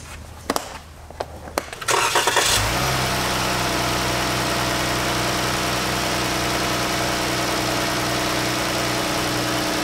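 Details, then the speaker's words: 2014 Jeep after replacing leaking #5 fuel injector, spark plugs and intake plenum gaskets, codes cleared: clicks, then engine catches at about 2.5 seconds and settles into smooth steady idle, no stumble; misfire fixed. "cleared codes let the vehicle warm up run a nice and smooth that's when it would act up before went and drove it everything's fine"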